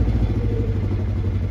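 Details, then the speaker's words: 2015 Polaris Ranger 900 XP, fully warmed up, idling: uneven lumpy idle stumbling like a misfire while the gauge misreads a negative temperature; failing engine coolant temperature sensor giving the ECM bad readings and upsetting the fuel mixture. "it's been warmed up for a few I had on a time lapse all warmed up and I can hear it's running irregularly now"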